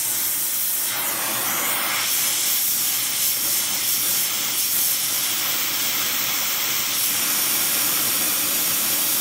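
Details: Airproducts Integra oxy-acetylene cylinders with built-in regulators and small mixer torch, welding with pressures set by ear, aiming for 4 psi: smooth steady roaring hiss, no popping, sputtering or flutter; stable, normal flame.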